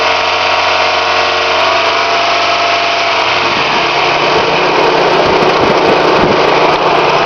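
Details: Toyota 5S-FE petrol engine idling with a light, uneven tapping about three times a second that sharpens as revs rise; owner asks what causes the knock, source unknown.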